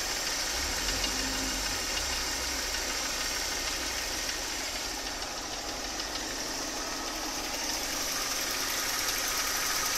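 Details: Mercedes 272.967 V6, fully warm, idling: fairly regular light knock about three per second over hissy background, heard most from the left side; source unknown.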